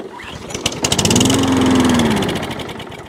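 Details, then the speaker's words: Wolf lawnmower of about 21 inches, carb already cleaned: with carburetor spray it catches, pops quickly about two seconds, then dies; fuel starvation, suspected primer bulb problem. "It's a fueling issue. So even though we've done a carburetor clean, it's still got a bit of a fueling issue."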